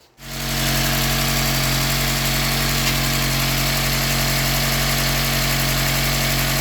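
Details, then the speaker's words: Austin Allegro 4-cylinder engine (firing order 1-3-4-2) after timing advanced slightly, slowed to tick over: smooth, even idle with steady beat, no hunting or chugging; normal idle. "but that sounds really nice. Nice and even. No hunting going on. No chugging. So, I've slowed it down now to a nice tick over."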